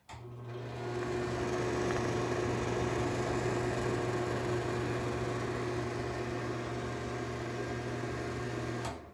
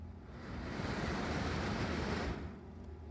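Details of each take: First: Dirty NuTone bathroom exhaust fan with light, before cleaning and greasing: incredibly loud steady low hum with droning tone, from a dry, worn motor bearing. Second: Dirty, very loud NuTone bathroom exhaust fan after cleaning with alcohol and drying, before bearing greasing: steady airy whoosh and low hum without rattling or grinding; sounds a lot better now.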